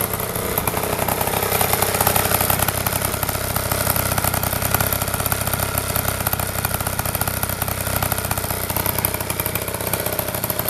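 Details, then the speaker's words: Honda Spree moped finally running after repair, previously unreliable: small single-cylinder putter holding a quick, fairly even idle beat with no knocks or stalls; normal idle. "I think we got it. I think we got it, finally. Listen to that baby purr."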